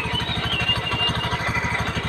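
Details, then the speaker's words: Honda Beat FI scooter at idle: rough metallic clatter pulsing with each firing stroke, harsh and uneven, very noisy; owner suspects CVT plates or a failed bearing, not confirmed. "Nah, teman-teman bisa dengarkan seperti ada pelat baja, seperti ada apa ya, seperti ada pas tuh,"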